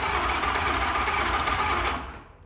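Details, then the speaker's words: TVR Cerbera V8, cheap project car, cranked via a wire to the starter motor: steady, even fast cranking that winds down without firing; turns over freely but does not start. "Just to sort of hear it start turn over, and it sounds. Can you say it sounds healthy? I've heard unhealthier engines turn over."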